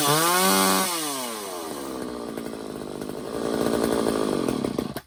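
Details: Old Craftsman chainsaw after a Walbro carb rebuild with new air filter, fuel filter and fuel lines: two-stroke fires cleanly, a sharp rev that drops back, then a steady buzzing run under throttle; carburetion sounds healthy.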